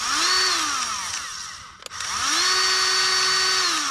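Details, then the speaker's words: Grease gun on Case IH 75C tractor loader service: motor spins to a steady high whine with no pumping pulses and no grease coming through; cartridge out of grease. "all right when it makes that noise it sounds like it's out of Grease so it's just kind of a steady instead of a pumping sound it's more of a steady sound"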